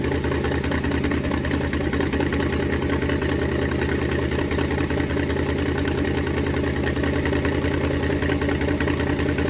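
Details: Ford Falcon 289 V8 idling during a cooling-system flush to clear rust that caused overheating: rapid uneven puffing tick over the rumble from an exhaust leak that appeared while the car sat; fix planned for tomorrow.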